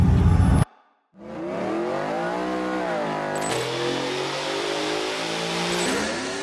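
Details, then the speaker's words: Ford F-150 just after replacing the bank 2 valve cover gasket, first start: engine catches after a brief crank, then a wavering whistling tone rides over the idle. No smoke or engine light; source not yet identified. "Moment of truth. What the hell is that?"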